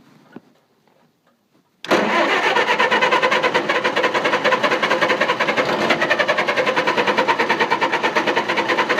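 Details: Engine in the dark after lights went out: silence, then steady starter cranking about three turns a second, never catching; cranks but won't start, owner suspects flooding or moisture in the distributor cap.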